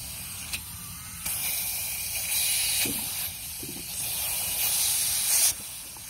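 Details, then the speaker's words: 6.0 Powerstroke diesel truck, coolant reservoir cap opened after about one minute of cold-start running: strong rushing hiss and bubbling as combustion gas pressurises cooling system; blown head gasket, later confirmed. "pretty dang sure that's a blown heady gasket"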